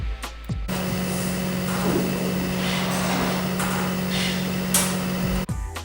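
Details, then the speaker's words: Yi 720p dome camera at power-on boot-up: a steady low hum with a light whirr for about five seconds as it turns 180 degrees. This is normal pan motor noise. "once you plug your camera into an electrical outlet the camera will turn 180 degrees when the camera turns a full 180 degrees you will hear a humming like this"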